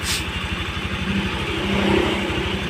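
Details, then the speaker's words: Honda Vario carburetor scooter, single-cylinder, idles steadily on its own with an even low putter after repair. It had a klotok knock and burnt-oil smell from leaked-out oil, and stalled at idle until oil was restored and the carb idle adjusted. "sekarang tanpa kita harus memegang tuas gasnya, motornya ini masih bisa stasioner, dikarenakan tadi kita menyetel stasioner karbunya itu teman-teman."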